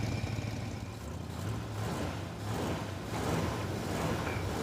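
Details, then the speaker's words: 1960 Chevrolet El Camino, off the road for 30 years, running after head gasket work, a new starter and new fuel lines while warming up, with timing set by ear: a low rumble rises and settles without stumbling, barely smoky; sounds healthy. "telling you a guy's ear meter is dialed. It's barely even smoky in here."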